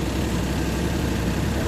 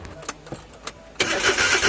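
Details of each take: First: Suzuki DA64V with K6A engine that previously would not start: steady low engine rumble at idle with no knocks or misses, just an even background hum; idle sounds normal. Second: Suzuki DA64V with K6A engine: starter whirs steadily in two long bursts but the engine never catches or fires; cranks but won't start.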